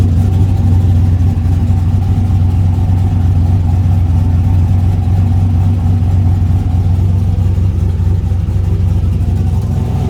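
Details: Mustang race car just after a new head gasket, first start following fuel-system priming; loud, steady, deep idle with even lope, no ticks, knocks or hiss; normal idle.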